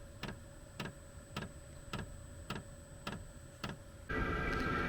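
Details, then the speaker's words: Diesel heater mounted outdoors on a cart, 12V 50Ah LiFePO4 battery, blowing out dust: sharp regular fuel pump clicks about every half second over a quiet hum. The dosing pump is working normally, though the clicking is annoying indoors. "There's the fuel pump kicking a little bit. Just another reason why I wanted to put this outside, because that clicking gets a little bit"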